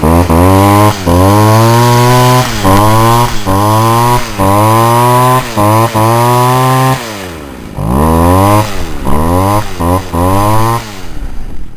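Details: Poulan Wild Thing homeowner two-stroke chainsaw, warm, after carburetor adjustment: crisp repeated blips to high revs, falling back cleanly to a steady idle with no bogging or hunting; runs well.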